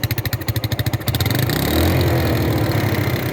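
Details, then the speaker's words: 250cc single-cylinder cruiser after a cheap carburetor rebuild: lumpy idle, then a throttle blip; revs hang and ease down slowly with hesitation off idle, black smoke showing it is over-fuelling and still needs work. "The idle takes the idle takes a while to get back down. So once you're off idle, it goes, but hesitation there."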